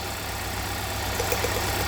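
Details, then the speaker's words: 2017 Hyundai Santa Fe Sport 2.4 with code P0301, idling with a coil lifted: rough idle with faint quick snapping about eight a second, suspected spark arcing; still misfiring after cleaning, the owner concludes the spark plug is failing. "So I was gonna wait anyway, obviously, but that means that the plug is failing."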